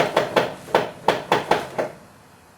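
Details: Nissan Patrol GQ Y60 after a LOKKA automatic diff locker install, one wheel held while the other is rotated: crisp metallic clicks, about seven in under two seconds, then quiet; the locker is ratcheting normally.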